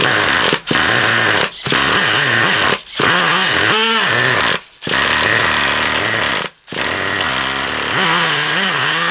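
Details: Traxxas Revo 3.3 nitro RC car engine, needles leaned out too much, leak around the low-speed needle: high nitro buzz cuts out and surges every second or two, revs hunting; erratic running.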